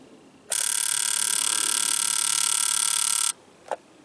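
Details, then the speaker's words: Jeep JK Wrangler 3.8L, balance test for a misfire, camera held by injector one driven by a pulse tester: sharp, high, steady buzz for about three seconds as the injector fires rapidly, stopping cleanly with no faltering; normal. "you should be able to hear the injector pulse so I'm going to hold the camera down here by injector one"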